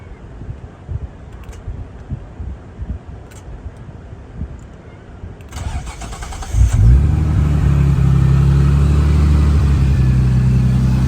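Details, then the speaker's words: R33 Skyline, fully forged engine broken in past 2000 miles, decat exhaust, cold start right after oil change to fully synthetic: cranks and catches, then loud, even, deep idle with steady beat; normal cold start idle. "this is a cold start basically not massively loud you can't hear it properly on video because I've not got a fancy microphone or anything but it's pretty loud anyway"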